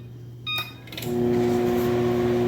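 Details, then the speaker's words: Whirlpool microwave that was buzzing without heating, after repair work on its diode circuit, gives a short beep and then a steady, even low hum during a 2-minute run; it now sounds different and heats normally. "You hear it? It's humming. It's purring just like a cat."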